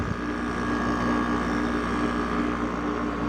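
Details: Haier window air conditioner after bearing replacement, compressor running and cooling: steady, even hum with smooth fan airflow, no grinding, squeal or rattle; runs like new.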